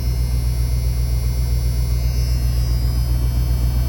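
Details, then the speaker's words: 1991 Ford F250 revived after sitting, with fuel pressure and good oil pressure: deep, steady low rumble at about 850 rpm idle with an even beat and no knocks or ticks; healthy. "idling about 850 RPM. Sounds good. That's a good start."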